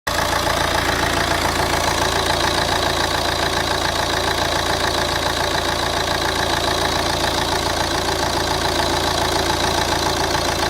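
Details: Opel/Vauxhall Vectra C CDTi, Z19DTH diesel engine, idling smoothly with steady light clatter before the AC is switched on; a rattle appears at 0:27 when the AC engages, despite a brand-new compressor fitted a day earlier.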